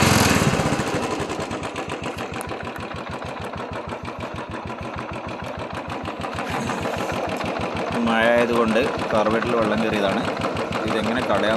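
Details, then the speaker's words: Royal Enfield Bullet single-cylinder at idle, with water in the carburettor fuel: the thump runs uneven, stumbling and skipping instead of a steady beat. Misfire from water in the fuel, cleared by draining the carburettor. "Missing ആണ് കേട്ടോ വണ്ടി"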